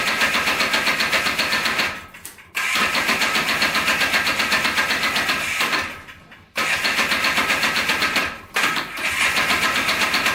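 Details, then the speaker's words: Polaris Trailboss 250 4x4 ATV two-stroke, revived junk machine, run with clutch removed: buzzy revving in short bursts, much quieter with no screech; owner suspects the clutch was installed wrong or badly worn and rusty. "all right so it's a lot quieter without the clutch so that's good um so i think the clutch was just maybe put on wrong or something"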